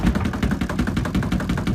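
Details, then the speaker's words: SUPER DEAL compact mini twin-tub washer, spin side turned to 5 with one towel, sitting on a counter edge: fast uneven rattling thumps as the cabinet shakes and has to be held; vibration from unsteady footing, not a fault, dying down after minutes. "It does this, like, it goes really fast like this for a few minutes, and then it dies down a little bit. So I'm like holding this, or else it's gonna fall."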